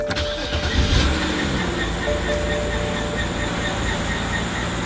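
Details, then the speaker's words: BMW E90 328i N52, started right after a Castrol Edge 5W30 oil change; loud steady high squeal over idle, owner pretty sure the accessory belt needs changing, replacement belt ordered. "Alrighty, guys, so while it is measuring the oil, I don't know if you guys can hear it, but it's like squealing really bad. So pretty sure the belt needs to be changed"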